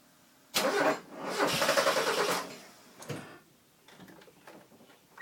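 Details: Mazda 323 GTX after TDC/timing work: two short cranking bursts with quick, even starter chugs, engine never fires; cranks but won't start.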